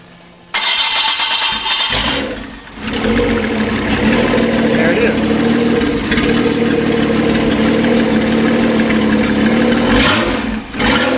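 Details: Freshened L28 engine from a 1976 Datsun 280Z 2+2, bound for a 260Z, on a test run with fuel injection harness and good fuel pressure: brief cranking, catches within a second, settles into a steady, even run with no knocks; starts cleanly.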